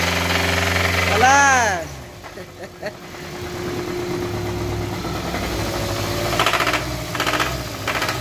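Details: Hyundai Tucson engine with about 400,000 km: uneven knocking mixed into the idle, about three to four knocks a second; source of the knock still under investigation.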